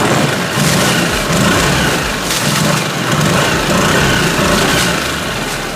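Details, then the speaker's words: Tohatsu/Mercury 6 hp outboard that bogged under acceleration and load, after diaphragm fuel pump replacement and few minutes' idle warm-up, cover on: smooth, even steady revs, no misfire, stumble or knock. "sounds much better. So anyway, 5 minutes or less, there you go."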